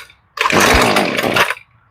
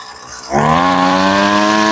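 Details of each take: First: Husqvarna string trimmer, long unused, after carburetor replacement, started on full choke: sharp buzzy two-stroke note catches and holds about a second then drops off; sounds pretty good but needs carb tune-up. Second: Husqvarna trimmer after a quick carb change, not run for a while: held near full throttle while the high-speed screw (farthest from engine) is tuned by ear, pitch wandering and dipping then leaning toward a clean scream; high-speed mixture adjustment, sounds really good.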